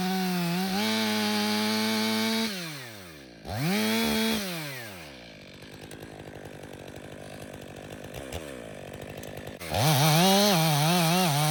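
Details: Stihl MS 500i chainsaw (62 hours, long idle on stale fuel), warm after calibration and fuel purge, cutting frozen wood with freshly sharpened chain: crisp high rev drops and holds as it bites, climbs back cleanly without stumbling. Normal cutting after fuel pump fix.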